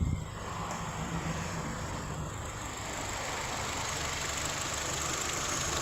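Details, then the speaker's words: Hyundai HB20 hydraulic power steering pump after repair work, phone held near the pump: engine at steady, even idle with no whine or groan from the pump, which sounds quiet and healthy; normal running. "A bomba vocês não vão ter acesso, vou colocar aqui perto do celular para vocês verem. Mas o carro não tem barulho nenhum, tá certo?"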